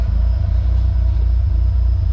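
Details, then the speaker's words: Nissan 240SX with CA18DET, first start after a head rebuild: deep, loping idle with an uneven exhaust pulse at a steady speed; rough idle, owner doubts the cams cause it and suspects another fault. "i wish that my car could sound like this and there not be something wrong but i definitely think that there's something wrong making it sound like that"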